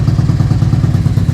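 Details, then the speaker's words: Tao Tao 250 YFZ-style quad with a newly fitted engine and D7 spark plug, idling cold while warming up: lumpy, uneven, slightly hunting beat, idling oddly compared with the old engine; rough idle, cause unknown. "It also sounds like it's idling it a little weird too, like compared to what it used to idle with the other engine."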